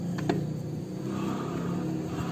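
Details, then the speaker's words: Yamaha Mio Sporty scooter, rear wheel turned: steady low rumble with a gravelly edge from worn CVT bearings, a very loose rear pulley shaft bearing and a worn needle bearing, both to be replaced. "Suaranya juga terdengar jelas. Jadi ada dua jenis masalah suara gemuruh pada sepeda motor ini. Pertama, bantalan poros puli belakang rusak; Ini sangat longgar."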